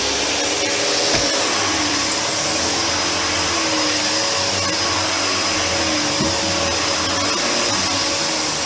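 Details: Panasonic MC-UG302 1900 W upright vacuum after repairing a seized brushroll, run once caught debris cleared: steady high motor whine with an even airy rush, no knocking or flapping from the brush; normal running.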